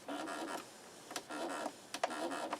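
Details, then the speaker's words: 1970s Sony TC-238 8-track recorder being serviced, pause engaged. Three rasping, buzzy mechanical bursts with sharp snaps between them, quiet room behind. Harsh transport noise on pause, cause not determined. "That sounds like it's going to break. I don't know. Okay, I guess that's what that is."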